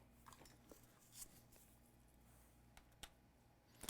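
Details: Asus ROG GU502L laptop that won't power on, with battery and charger connected: faint sharp ticks, some in double pairs, about every second as the board power-cycles; power-cycling clicks.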